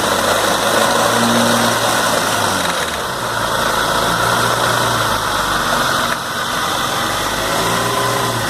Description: After rebuilding noticed this rattling noise , eventually coming from idler gear (MG 1300 engine)